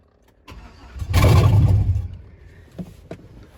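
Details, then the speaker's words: 2005 Chevrolet Suburban donor, low on gas, first start attempt off the trailer: quick turnover and short burble dying within a second, engine never keeps running; cause not confirmed. "so that little turnover and burble she heard and decided she's coming out"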